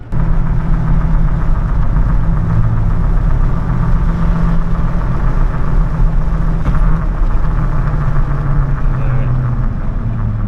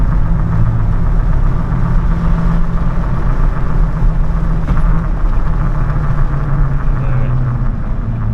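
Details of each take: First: Chevrolet Silverado truck cruising on stock-style 2018 factory wheels and tires that replaced noisy previous tires: steady low, smooth road rumble with no hum or whine, a night and day reduction in road noise, though it may still pick up wind noise. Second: Truck on the noisy aggressive tires that came with it, cruising at steady speed. Loud, constant low road drone with no knock or whine, from the tires roaring on the pavement; these were later swapped for stock wheels and tires.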